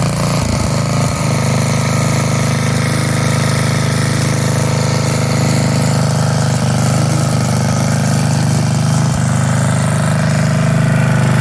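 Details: 1982 Snapper Comet riding mower, 8 HP Tecumseh electric start, after restoration with everything reported operational: low, even, steady thrum with no misses, knocks or surging; engine runs smooth and healthy.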